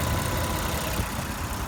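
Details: 2003 Toyota Camry V6 1MZ-FE; low, rapid tapping knock under rough idle; owner suspects rod knock or valve lifters needing adjustment; engine knock at idle.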